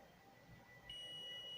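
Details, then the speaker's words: DIY alarm circuit board (CD4017, L293D), multimeter in continuity mode probing adjacent solder pins: a steady high-pitched tone switches on and holds, showing a solder bridge shorting the pins. Rechecked after reworking and no connection remained. "here between these two pins we have a bridge let's see so you have to go check that out"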